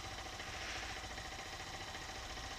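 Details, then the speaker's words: 2018 Honda CG 160 at about 13,000 km, single-cylinder idling while warming up: light quick tapping over the idle, like valve noise since new; owner suspects camshaft bearing from a defective batch, cause not confirmed. "ela desde que eu peguei eu senti que ela tá fazendo um barulhinho como se fosse barulho de válvula né"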